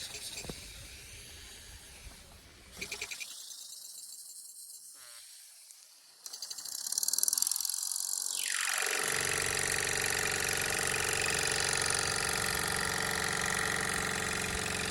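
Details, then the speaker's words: Mamod Steam Wagon at full regulator, full power, steam out the chimney: after a quiet start, a quick even chuff of about three beats a second over steady steam hiss. Running smoothly, normal. "buring out the chimney now as well that's full knuts that's full power I mean how awesome is that"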